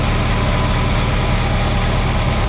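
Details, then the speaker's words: Ferrari Mondial V8 idling rough with popping and banging, with an uneven thrum like an old marine engine. It is hard to start, as if it wants to start backwards. Misfire on cylinders 5-8, with timing out; the owner suspects a sensor. "you know and uh yeah and it's popping and stuff so so it's it's running rough popping and banging"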